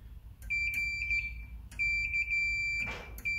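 Steady high meter tone, broken briefly where probe contact clicks and lifts, showing earth pin and chassis are connected.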